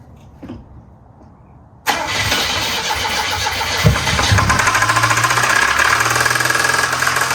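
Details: 1973 Volvo 144 with a flat-tappet cam, run on diesel oil for its zinc: starter cranks, engine catches, then a steady knock about three per second over the idle; known engine knock, cause not identified.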